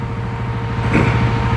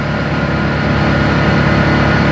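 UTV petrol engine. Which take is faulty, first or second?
first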